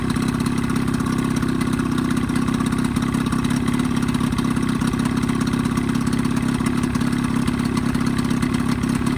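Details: Evinrude 20hp two-stroke outboard modified to 25hp, after full service, reeds, primer seals, thermostat; fast steady idle burble with even low rumble, no misses or surging; earlier lean coughing and spitting fixed, normal idle.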